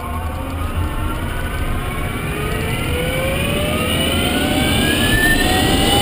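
Several thin whining tones climb steadily in pitch as the car picks up speed over road rumble; the drive motor is whining.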